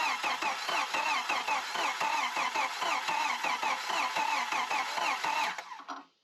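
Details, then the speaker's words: 1993 Jeep YJ built from mixed parts, left sitting for an unknown time: the starter turns the engine over at an even rhythm of about three beats a second but it never catches, crank no start, and a spark check finds no spark. "No spark. Oh, that could be a problem."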